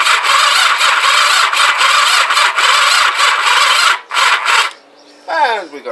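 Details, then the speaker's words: Kawasaki GPZ500S rebuilt engine in frame, start button dead and no neutral light, cranked with choke and throttle: the starter whirs unevenly, drags and slows, and cuts out after about four seconds; slow cranking from a flat battery, swapped for a fresh one. "battery uh right let me try and address that and we'll switch you back on again right fresh battery let's try that again"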